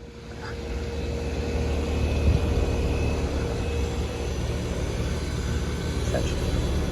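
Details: Home HVAC condenser/heat pump whose breaker kept tripping, first start after a melted heater wire touching metal was bypassed, with an old thermostat. Low, steady compressor hum and fan rush building and holding even, with no clicks or buzzing; nothing tripped; normal running.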